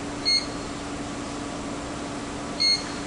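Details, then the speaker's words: ESD workstation wrist strap monitor: two short high beeps about two seconds apart over quiet room hum, a real grounding fault alarm. Possible causes given include a worn, intermittent coil cord or touching an ungrounded lamp. "when you hear that, there is something wrong. It's not a false alarm. It's not checking to see if you're awake. There is something wrong at your station at that moment."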